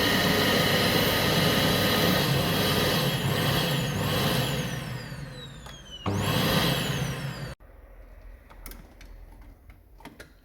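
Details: Vacuum cleaner after replacing a plug whose cord had broken internally: steady high motor whine with even airflow roar, dips briefly, spins back up cleanly before switching off; motor runs normally.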